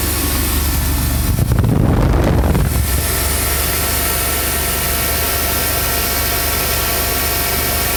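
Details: 350 engine after splicing chewed wiring with new pigtails to fix a no-start, injectors pulsing: steady, even low idle with a smooth unbroken drone and no misses or knocks; normal idle.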